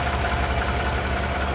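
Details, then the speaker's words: 2015 GMC Sierra 5.3 V8 after replacing the bent cylinder 4 exhaust pushrod, torquing the rocker bolt to 22 ft-lb and fitting a new valve cover gasket: steady, even idle with a smooth low rumble and no more ticking; normal idle. "there it is back together and running again sounds a lot quieter no more ticking"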